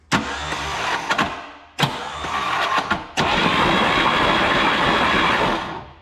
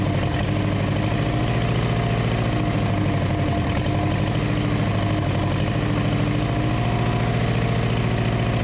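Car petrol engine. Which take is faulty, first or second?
first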